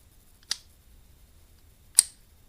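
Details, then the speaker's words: Shimano Cardiff 401 left-handed baitcasting reel clutch: two crisp, firm clicks about a second and a half apart, not too loud, about half an inch of travel; positive, normal clutch engagement. "it's not too loud it's a relatively positive the clutch feels very nice"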